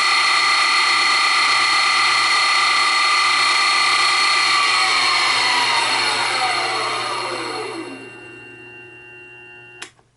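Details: New Grizzly G0758 benchtop mill, low range 50–1,000 rpm, run near maximum. Steady smooth high whine, no gear clash or grinding, pitch falling evenly as spindle winds down; normal spindle run.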